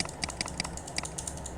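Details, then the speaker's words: Mechanical keyboard switch that double-clicks or doesn't respond, before cleaning, checked with a keyboard tester: minus key sounds wrong and plus key sometimes doesn't respond, giving sharp, unevenly spaced clicks; dirty switch contacts. "Ini minus minusnya ini minus 64 ini dari suaranya juga enggak beres ini. Nah, ini plusnya juga kadang enggak ngerespon."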